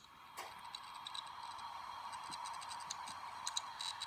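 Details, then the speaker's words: Hitachi Travelstar 80 GB laptop hard drive, tested on adapter: faint, irregular sharp ticks over a soft whirr, never settling into normal spin; drive reads bad. "yeah that's not good it's an 80 gig one"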